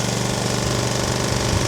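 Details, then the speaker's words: Small pull-start petrol single-cylinder engine, unused probably about a year, started after several pulls: chugs at a fast even beat and holds steady under load with no misses or surging; normal running under load. "Will it keep going when it's under load? Yes. So far so good."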